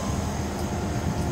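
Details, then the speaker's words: Refurbished EasyFire EF3801 12V DC electric-start pellet stove during start-up: the front convection blower kicks on and holds a low, even, rushing hum. Normal blower running. "Oh, there's the front burner, front blower. Hear that kick on?"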